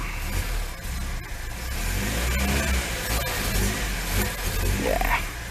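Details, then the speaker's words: Lada 2102 carbureted petrol engine started after a year standing: revs unevenly, surging and sagging without holding steady; owner suspects dirt in a carb jet and very stale fuel, carb to be taken apart. "must have some dirt in the carb I reckon at one of the Jets I mean is running on very very stout fuel"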